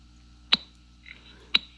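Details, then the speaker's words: Magic Eagle Eagle Cam 5 cellular trail camera, a saved recording of a deer played back: two sharp high ticks about a second apart over a quiet background. It is the camera's clicking noise in the recording, which the deer don't seem to hear. "that's that clicking sound I was talking about, but the deer don't hear it."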